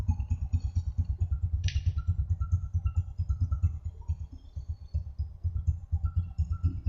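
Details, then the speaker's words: Honda Supra X125, after repair for rough engine noise, oil recently changed: even, soft single-cylinder putter around seven beats a second, no rattle or ticking on top; engine nearly silent, healthy idle. "suara mesinnya sip sip sip Coba saya tutup untuk bagian knalpot Yamaha hai oke hampir tidak ada suara sama sekali untuk bagian mesinnya ya"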